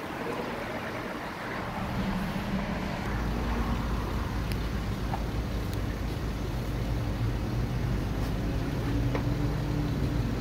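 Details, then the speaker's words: Mercedes-Benz at 203,000 km, free rev test recorded inside a car wash with the exhaust note echoing: a deep, even note swells smoothly as revs rise and hold, no knocks or misses, plenty of power; healthy engine. "there you go that's a sound test for you it's uh it's got plenty of power 203 000 kilometers and it still sounds good"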